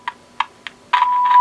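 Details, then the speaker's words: Sony Air 7 airband receiver with 76 MHz injected from a signal generator: three short crackly tone bursts drop in and out, then hold steady; erratic, glitchy audio traced to bad control pots. "I got a point with it's working right now but it's really erratic so this is injecting 76 MHz for my signal generator so that should be working correctly um but this is really glitchy these pots appear to be bad"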